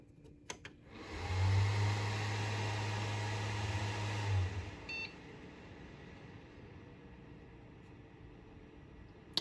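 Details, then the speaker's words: Hard drive on a spin-up test: low steady hum while spinning up, then a quiet smooth run with no clicking or grinding; fluid-bearing drive, running normally. "least this Drive has fluid bearing so it's much quieter much appreciated"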